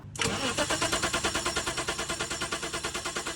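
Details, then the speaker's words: 1985 BMW 635CSi E24, sitting 12 years, with what looks like an aftermarket MSD ignition: steady starter cranking about three beats a second, never fires. No spark even direct from coil, ruling out cap, rotor and plug wires; failed crank sensors later proved the cause. "still no spark so we know that it's not the cap and the rotor it's not the plug wires so that means now our problem is ignition coil or deeper"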